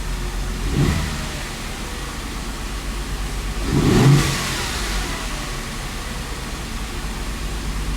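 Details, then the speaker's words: Audi engine just reinstalled, second start after two years, earlier run with almost no oil pressure, now 5 of 8 quarts: two uneven rev blips and a ragged, unsteady idle; running rough, cause unclear. "Hopefully this time it doesn't make a bunch of crazy noises. Service, no lights. I mean, that doesn't sound that great."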